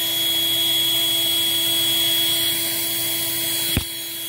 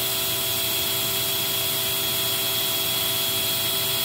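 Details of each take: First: Eureka 402 Superlite 2-amp vacuum with screen filter, airflow test run with the clear underside access door not installed, leaving an open hole: steady high-pitched whine with a single thump; air leak from the missing door. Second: Eureka 402 Superlite small vacuum rated 2 amps, unit with the good filter, during the nozzle airflow test: high, steady motor whine with a constant airy rush and no wavering or rattles; normal running.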